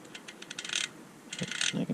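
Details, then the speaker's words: Normal freehub pawl clicking on a Prime BlackEdition 50 carbon wheel after swapping in a new, greased freehub body: quick, crisp, even ticking as it spins freely and smoothly. "can hear the clicking and now now it feels super smooth that's way better"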